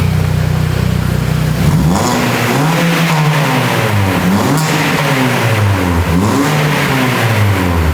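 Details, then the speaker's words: Classic Mini after new exhaust fitted for MOT, without resonator and with smaller back box: strong, clean revs rising and falling, deep crisp note with pops, no rattles or blowing; healthy engine and exhaust. "It actually just popped. That sounds amazing."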